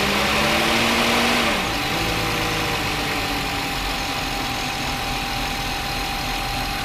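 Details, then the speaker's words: 2009 VW Touareg 3.6L at idle with the engine light on and codes P0507 (idle rpm higher than expected), P2187 and P2189 (lean on both banks). Idle sags, then hangs unsteady with a hissy edge; lean surge from a stuck-open PCV valve. "let me take you this cancel so we have APO 507 idle control system rpm higher than expected and then we have p21 89 and a p21 87 system to lean bank-to-bank one let me just let you listen to what this thing's doing"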